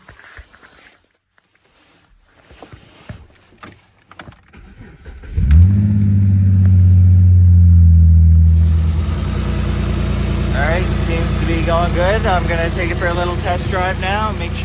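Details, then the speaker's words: Dodge Magnum 3.5 V6 after replacing a seized alternator and refitting the serpentine belt and coolant hose: short crank, then a steady, even idle with no squeal or rattle; it is charging, battery light off, power steering back. "it's charging all right had already feels a lot nicer having power steering back and as you can see there's no battery light anymore so it's charging it's"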